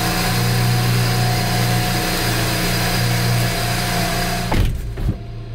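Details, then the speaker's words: BMW N54 twin-turbo direct-injection engine after home cleaning of intake valve carbon deposits: steady even drone, revs up quicker, vibrates less, no misfire, knock or ticking; normal running. "ale widzę że szybciej zagadał trochę mniej wibruje o teraz fajnie to wygląda"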